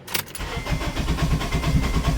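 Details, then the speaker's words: 2007 Acura TSX, no check engine light: fires once then dies, starter cranks with uneven lumpy beats and backfiring; suspected jumped timing, bad coils or head gasket. "Sound like timing. Oh, blown head gaskets. Yeah. See how it's backfiring?"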